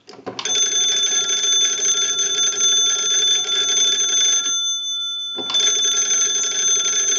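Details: Wooden wall 317A crank telephone after repair and conversion (keypad added in the battery box), final checkout: the magneto is cranked and the bells ring brightly and evenly for about four seconds, pause, then ring again cleanly.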